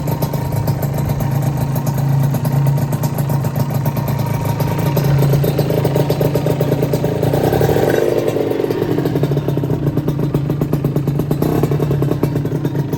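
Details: Honda LS125 two-stroke single, after full engine rebuild, started cold without choke: crisp, steady idle with a fast, even popping beat and a brief blip midway, running cleanly; normal idle.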